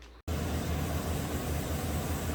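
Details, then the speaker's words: 2017 Chevy Silverado 2500HD, 6.0 or 6.2, with P0300/P0302, after replacing a carbon-tracked cylinder 2 spark plug and cleaning the boot: steady, even low V8 rumble at idle with no stumble; normal idle. "And you can see it's not misfiring on number 2 anymore. So I'm sure that's going to fix it."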